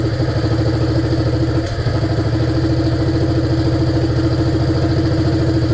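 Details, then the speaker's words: 1947 BMW R35 motorcycle, first run after sitting for years: twin thumps about three a second, stumbles and dips briefly then recovers; rough running, owner says not sucking fuel properly. "As you can hear, she's not sucking fuel and it's a little bit dusty in so it's really really foggy in here."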